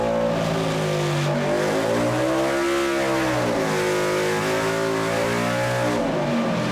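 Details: 2007 Harley-Davidson Heritage Softail on the dyno rollers after an ECU flash and tune, with a new fuel pump and fuel pressure regulator fixing a lean condition. Clean V-twin revs rise and fall smoothly, no misses or pops; normal running under load.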